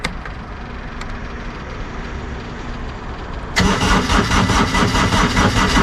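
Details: Kubota GR2110-type diesel mower tractor (a second GR2100 being fixed up to sell) with its straightened but unbalanced driveshaft: starter churns briefly, then the diesel catches and settles into a steady, even beat with no knock or shake; normal running.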